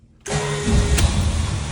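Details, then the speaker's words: Plymouth Duster, Mopar Slant 6 225, in neutral after wiring fixes (owner suspects neutral safety switch): fires almost instantly off the starter, cold, and holds a smooth, steady idle without misses; normal start. "Oh my god, it's running. This thing fires up instantly."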